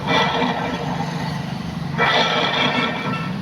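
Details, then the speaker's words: Honda Activa BS6 (6G) scooter, customer reports noise while riding, belt removed to check; rough, gritty rumble rising with revs, caused by a failed clutch bearing. "ఈ sound అన్నది మనకి ఎందుకు వస్తది అంటే మనకి clutch బల bearing ఉంటది friends ఈ బేరింగ్ ఈ బేరింగ్ పోతే అన్నది మనకి చాలా డిఫరెంట్ సౌండ్ వస్తది ఫ్రెండ్స్"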